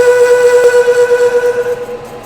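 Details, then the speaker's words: Boring a 19-inch sprocket bore on the Lion lathe, 0.050 in pass with coolant: a ringing squeal pulsing in loudness, boring bar chatter entering the harder center material; may need to slow down. "all right that chatter you're hearing as we hit the center material I don't like that I might have to slow her down to combat that"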